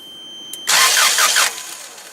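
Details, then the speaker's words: Toyota 7FG U25 forklift no-start after regulator replacement and tapping solenoid: click then brief starter whirring without catching; cranks normally, compression not suspected; owner suspects slow solenoid not working. "So let's see, let's try to crank it again, see if it starts up. Nothing."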